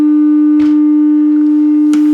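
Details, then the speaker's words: Music & Sound MC602 radio intercom master amplifier after repair, test tone measured at the speaker terminals: pure steady mid-pitched tone with no buzz, rasp or crackle; clean sine wave, no clipping or distortion. "we'll scale this and there is our proper sine wave that's what it's supposed to look like it's a nice clean sine"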